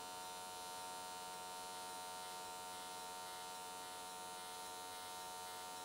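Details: AC TIG welding an S13 catch can on 95 Hz square wave, trying new settings to smooth the weld: steady, even high-pitched buzz without crackle or sputter. Normal, stable arc; weld went all the way around in one session.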